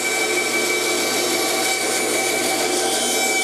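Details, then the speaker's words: Saw blade grinding harshly with a thin ringing squeal while cutting an arc in a dragster blank: the workpiece was turned without feeding forward, so the blade twists in the kerf. "you can hear that grinding noise you don't ever want to do that you don't want to turn it like i did without actually pushing forward"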